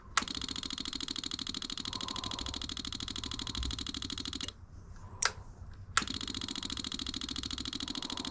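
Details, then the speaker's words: 1984 Yamaha Virago 1000, electric fuel pump ticking rapidly and evenly, pausing briefly then resuming as it pressurizes the freshly cleaned fuel system after a carburetor flooding fix with the old floats and needle refitted; pressured up, no leaking, normal operation. "Look at that. It's pressured up. It's not leaking. It's not leaking out the here at all."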